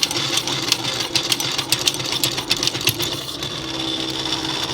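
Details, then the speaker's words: Vintage aircraft gyroscope attitude indicator spinning up with a high whir and rough, fast fluctuating rattling chatter; not reaching correct speed, owner suspects worn bearings, likely why it was deemed non-airworthy. "I think because it's not getting up to the correct speed and you know that's most likely because of the bearings and knackers I mean you can hear them pretty well they're pretty pretty in bad state so I'm guessing that's why this became non-air worthy"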